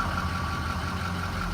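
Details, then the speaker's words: Truck's first cold start of a very cold morning after repairs including oil cooler, belt, heater core tubes and hoses, and radiator hoses. It previously long-cranked when cold; now it catches quickly into a steady, even low idle without misses. "That will work. That was the first start of the day, cold start."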